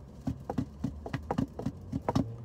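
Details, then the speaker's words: Mercedes-Benz W212 E350 front suspension: quick, hollow knocks in uneven pairs, a clunk from a worn sway bar link on one side; fixed by replacing the link. "sounds a little bit like this what i found it to be is actually the sway bar linkage okay and you can see on one side this side is good and then on this side is the noise side okay"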